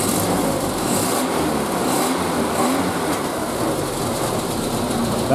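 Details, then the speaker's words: Triumph Spitfire, warm, no choke, after month-long cylinder-two misfire hunt; throttle blip gives even, smooth note with no stumbles or pops, firing on all four cylinders, though timing and mixture still need tuning. "is smooth obviously you still need to play with the timing with the mixture a little bit but that is smooth you can hear that's firing on all four cylinders"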